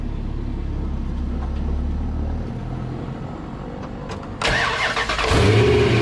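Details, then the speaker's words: 2003 Dodge Ram 1500 Hemi after fixing the bad idler pulley and refitting the belt: engine cranks, catches and settles into a steady idle, the whining, chimey loose-bearing noise gone. "yeah you don't hear that whining noise anymore you don't hear that that kind of a chimey noise coming from a bad bearing so we got that taken care of pretty quick fix"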